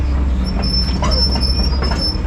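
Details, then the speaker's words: D6 crawler traveling: a heavy low rumble with a high, repeating squeal riding over it. The undercarriage squeaks as it moves. "oh i might get old listen to that squeaking"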